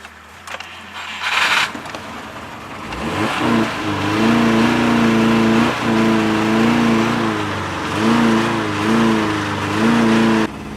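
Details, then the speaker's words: Neglected $50 car revived, held on the throttle and revving unevenly with loud raspy, puffing exhaust; idle still rough, dirty throttle body suspected: exhaust leak. "so we have a massive exhaust leak Izzy probably hear what is running I mean it's not great"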